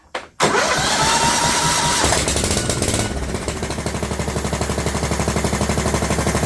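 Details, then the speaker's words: John Deere LT150 with swapped-in 15 HP Kohler engine, no choke, after priming the dry fuel pump by blowing into the tank: starter whirrs, engine catches, loud sharp puffing idle about four beats a second; exhaust leak (overlong exhaust studs). "sure seems noisy did I not get the muffler correctly tighten let me check it"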